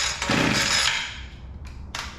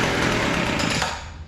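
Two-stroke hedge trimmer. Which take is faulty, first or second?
second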